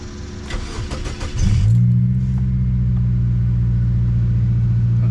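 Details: Started after sitting a while, smoking with the check engine light on: it cranks and catches, then idles low around 700-something rpm with an uneven, stumbling misfire; cause unknown.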